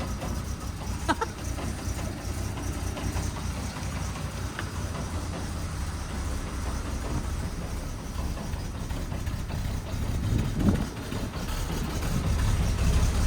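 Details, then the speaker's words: 1969 Chevy C10 inline-six at first start after sitting, with empty fuel lines, struggling. Low idle with loose, uneven clunking of a few knocks a second, like metal banging underneath. The exhaust is knocking around underneath. "We got some major knocking or something going on. Something is not right. Oh, it's the exhaust."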